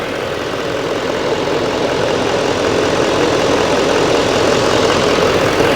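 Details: GMC Sierra 2500HD, 6.6 Duramax diesel, a flood Copart truck whose engine bay looks clean with some rust and beach sand: steady, even diesel clatter at idle, no knocks or misses. Normal idle.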